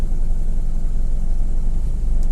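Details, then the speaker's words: 2010 Mercedes GLK 350 V6 with lumpy, uneven idle, live misfire counts on cylinders 1, 2 and 3, running on half the engine, code P0017 bank 1 exhaust cam retarded; suspected stuck cam timing solenoid, possibly gum-clogged spool valve. "It's definitely only running on half of the engine."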